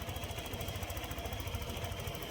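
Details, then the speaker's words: Honda Click 125 scooter at idle: a quick, regular knocking of about eight per second that came on suddenly. The timing chain or tensioner is suspected, to be confirmed by opening the head. "So, yan yung tunog niya. Bigla siyang nagkaroon ng sounds at saka walang minor."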